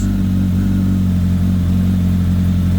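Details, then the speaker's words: Kawasaki ZX10R first cold start after engine-out gearbox rebuild, idling without revving, oil pressure immediate, cold start valve working; steady even low hum with no knocks, ticks or leaks, a healthy cold idle. "okay so we got oil pressure straight away which is good sounds good no botling no tapping got no leaks going to let it one up to temperature I'm not going to give it a web just going to let it idle let it do its thing"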